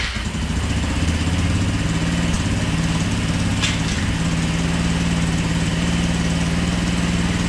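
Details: New GY6 150cc quad engine on its first start: steady, even single-cylinder idle with a smooth low drone and no knocks or misfires; a new engine running as it should.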